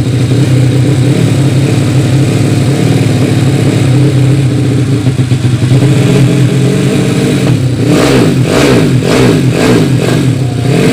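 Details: Yamaha Vega ZR with 200cc Mio cylinder swap (66 piston, standard stroke), Tiger carburetor, after re-jetting to main jet 145; even steady idle, quick blips rising and dropping cleanly without hesitation, carburetor setting right.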